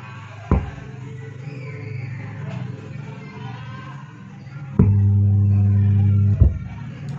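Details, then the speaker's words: Active subwoofer plugged into mains: sharp click, then loud steady low hum with the speaker cone pulled in, stopped by another click; amplifier output carries DC, risking damage to other components. "Now, this is to say, friends, Oh if the sticker was pulled in and there was a buzzing sound, it was immediately removed from the mains, friends, you can't let it go because later it can damage other components"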